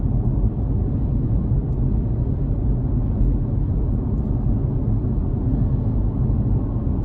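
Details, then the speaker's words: BMW i3 REx range extender running in the background while driving, very muted and barely audible, during its few-minute delay after being switched off: steady, even low drone with no irregularity; normal. "and it's really, basically you can't hear it at all, or it's very muted at this point."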